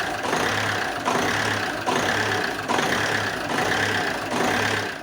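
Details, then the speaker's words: Alfa Romeo 156 1.9 JTD early common-rail diesel with a crank/no-start history idles roughly, swelling and sagging about once a second; low-pressure fuel side checks OK, and the half-bar pressure oscillation is suspected to come from voltage oscillation. "the variation that you saw when the car when the engine was idling badly I believe it is because of the oscillation of the voltage that's why the the pressure is was also oscillating but only half a bar so that is not at all a problem"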